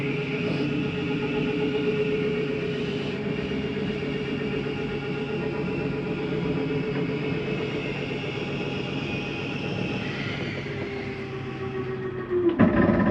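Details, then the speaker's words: 2023 Flagstaff Superlite 29RBSD travel trailer, bedroom slide-out retracting: an even motor whine, then a short grinding clatter as it seats fully. This end-of-travel noise is normal and not a fault. "I wanted you to hear that noise going in or out. That's just the slide mechanism saying that it's in all the way. Sounds like a grinding noise, but that is not the issue."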